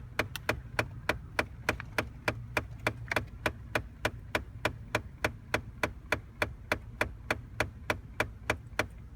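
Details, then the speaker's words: 2009 Ford Taurus, right side of dash after switching heat off: sharp, evenly spaced clicks, about three a second, roughly 15 bangs over 8–10 seconds, over a low cabin hum. "so that sounds like what like 15 bangs lasting for about 10 seconds maybe 8 to 10 seconds that's pretty weird"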